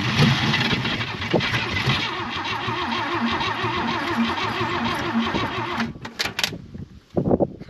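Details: 1966 Chevy Biscayne, straight six, Powerglide, sitting 20 years, first start attempt with only 12 volts to the coil, choke left on, pumping gas: strong rhythmic cranking for several seconds, then it catches and fires roughly.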